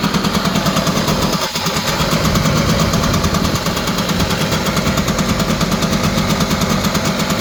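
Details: Honda EZ90 Cub single, just started after petcock set to run: steady, even putter at a slightly high idle with no knocks, misses or rattles; WD-40 burning off the exhaust, running strong.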